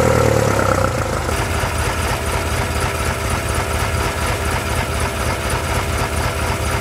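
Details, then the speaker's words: 1974 BMW 520, manual with carbs and points: starter cranks briefly, engine settles to a steady, slightly uneven idle; alternator gives no charge. "see I don't think the alternator is working cuz there's no charge coming from it"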